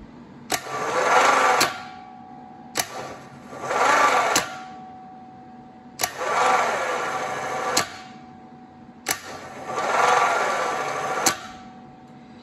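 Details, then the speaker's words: Air-cooled VW starter on bench test after WD-40 around the Bendix, cleaned ground spot and wire-brushed connections: four sluggish whirring runs with clicks, no crisp spin; still weak, probably needs rebuilding, marked possibly good. "so probably this one would need to be rebuilt if you know i wouldn't use it as my first choice for my buggy or anything but i would still mark it as possibly good and keep it on the shelf"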